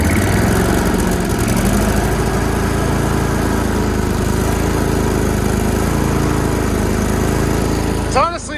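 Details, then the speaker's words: Yazoo-Kees zero-turn mower, started after being cleaned out and running on bad fuel: a strong, steady engine note holds an even pace without misses or surging; it runs great. "this thing runs great and it's got terrible fuel in it"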